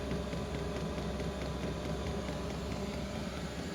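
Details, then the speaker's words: Newly installed diesel heater in a shop, with a new fuel pump, two new filters and hooked-up exhaust and air intake: steady low combustion rumble with soft fan hiss. The pump's clicking is very quiet, quieter than the old pump. It is running normally. "you probably hear that pump clicking it's not as loud as the other one was it's pretty quiet actually I can't even tell it's going half the time"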